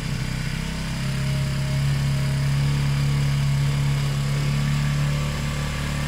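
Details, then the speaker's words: Zontes 125 motorcycle, warmed up with choke off, after its tank full of rust, twigs and water; low, uneven idle that stumbles now and then; owner suspects kinked fuel pipe limiting fuel flow, fuel starvation. "so the choke is off now and it's still a bit stuttering but we have to see what's going on"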